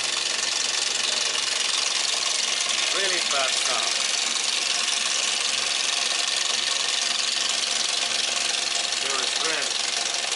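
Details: 2004 Toyota Yaris 1.0 L three-cylinder petrol engine: sharp, even ticking about four a second, a diesel-like clatter; owner suspects an overly long timing chain, not confirmed.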